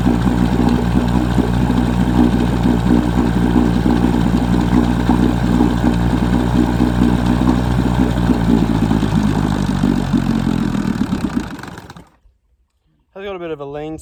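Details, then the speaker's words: 1966 Evinrude 6hp Fisherman outboard, a scrapyard find that had been seized, started with a bit of choke. Small two-stroke putters fast and slightly unevenly, then cuts out, with occasional sneezes; owner suspects a lean sneeze. "it does want to fire but it doesn't want to go this little keeps on slopping around on me unfortunately that [Applause] [Applause] sounds like it's got a little bit of a uh lean sneeze unfortunately"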